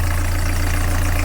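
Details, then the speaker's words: Narrowboat diesel engine after new engine mount, alignment and gearbox swap, at tickover: deep even tickover with steady firing pulses and no knocking, which it previously did at tickover; normal idle. "give it a clean down and then there we go no more knocking"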